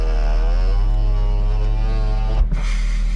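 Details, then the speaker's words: 2000 Toyota Celica GT manual after new ball joints and lower control arms, alignment off: loud steady low drone from the front while driving at night; wheel bearing suspected, not confirmed. "yeah, I hear that wheel bearing. Yeah, it's really loud."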